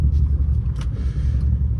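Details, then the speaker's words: 2015 Dodge Charger Pursuit 5.7 V8, wrecked rebuild, while driving: heavy, steady rhythmic knock through the low engine rumble; engine knock, owner suspects a stuck lifter, not confirmed. "This mug knocking like a crack addict at a door. But it'll be alright. I knew it was gonna come eventually, you know? I knew the lifter was gonna get stuck eventually."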